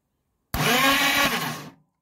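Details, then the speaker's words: Ark Racing electric starter kit just installed on a Triumph T140 Bonneville 750, solenoid wire shorted to battery positive as a test: sharp high whir spins up instantly, about a second, winds down cleanly; starter turns freely. "And it spins, so we're in business. That's good."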